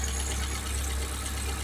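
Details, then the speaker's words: 1979 Fiat after fitting a new fuel pump with a relay and a fuel pressure regulator, and sealing an oil leak: smooth, steady idle with an even low rumble, no misses or hunting; RPMs look good. "RPMs look good. Sounds great. Wow."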